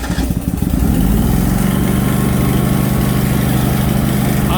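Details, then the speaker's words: New Lincoln Ranger 330MPX welder generator, first startup after priming the fuel pump, on choke: engine fires, briefly stumbles, then holds a steady, even low idle with no knocks or misses; smooth, healthy. "That's pretty smooth."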